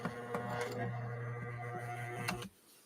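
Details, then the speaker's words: Elna sewing machine. Motor and board respond correctly to the foot controller, but a steady low hum carries a strained, uneven clatter before it stops. The mechanism sounds like it is binding; suspected, with the clutch to be removed for checking. "It doesn't sound so great. Sounds like it's binding up."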